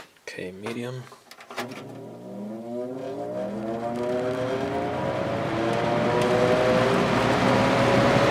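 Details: Vintage 1983–84 Lasko box fan with a plastic Marco motor, previously repaired with adhesive, spinning up to medium: the whir climbs in pitch over a steady low motor hum ringing through the single-piece mount and frame; the hum is most pronounced on medium and low.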